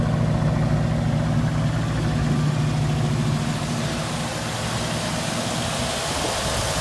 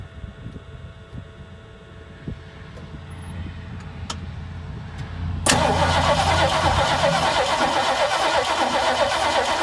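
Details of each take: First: 1968 Mustang that sat for years, now with a new battery and fuel pump, a swapped carburettor, and fuel from an auxiliary tank, in about 25–30°F cold: steady, even low idle with a smooth deep rumble and no misses; it runs cleanly. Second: 1968 Mustang, sitting 8 years, new battery: the starter spins the engine in a steady, even churn about three times a second, but it never catches; crank, no start.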